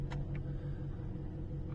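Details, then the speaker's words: Opel Astra J petrol engine with LPG, cold start: idle pulses unevenly instead of holding steady. Caused by fuel trims learned while running on gas at idle drifting away from petrol. "Myślę że słychać że silnik nierówno pracuje"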